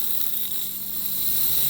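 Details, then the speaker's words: Car AC system under vacuum, high side port Schrader valve pressed open to add dye: steady airy hiss of air being sucked in; normal vacuum suction at service port. "So because we're under a vacuum, when I press the Schrader valve down, you should hear a sucking sound. That's just the vacuum sucking in for air."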